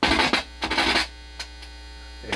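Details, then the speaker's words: Newly built TrainWreck Liverpool tube guitar amp, first power-up with voltages checked: constant low buzzing hum under scratchy chopstick taps, unchanged by tapping; nasty mains hum, noise seeming to come from around the input jack, source not yet found. "I'm going to turn that back up, forget the hum and noise, and tap around a little bit and see if I can figure out what's causing that nasty hum."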